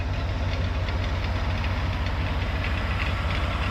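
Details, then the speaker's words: Vintage Chevy conversion van, 350 Chevy V8, warmed up: faint light rattle over a deep even idle about two beats a second, driver's side of engine, much worse at cold start; suspected belt tensioner or failing small pump, unconfirmed. "okay yeah you hear that faint faint little rattle there sounds like a belt something like a tensioner my guess just from experience is a small pump is failing"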